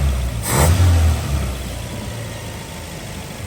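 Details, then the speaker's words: 1981 Dodge Challenger (rebadged Mitsubishi Galant Lambda) four-cylinder with swapped carburettor idles nicely, then gradually drops a cylinder with a low, lumpy idle; a quick throttle blip cleans it up to four cylinders again. Misfire at idle. "it's gotten to a point where it will idle nicely but then it gradually starts dropping a cylinder out like that when I rev it back up it comes back"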